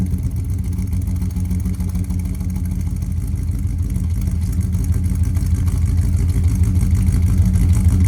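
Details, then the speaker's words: 1999 Dodge Ram 1500 5.2L (318) V8 5-speed with a years-old cold miss, fresh spark plugs fitted, mic by the exhaust. Low, uneven throbbing cold idle, missing on a cylinder; plugs ruled out, owner suspects cylinders 2 and 4 wires swapped. "obviously it's a fresh plug but those plugs are not the reason this thing was idling funky so we're still on the hunt I guess"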